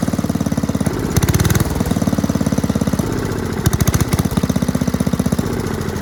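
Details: 1984 MTD Air Sweeper (model 245-692-000), 36 years old, flathead Briggs & Stratton 5 hp (engine model 130212-1731-01): even, steady single-cylinder thump at fast idle, no misses or knocks; runs clean and healthy.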